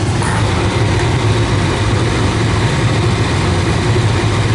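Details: Old gas furnace blower, which had screamed briefly at start-up with a burning smell (suspected motor bearings), now running with a steady, even low hum without scraping or rattling; normal blower operation.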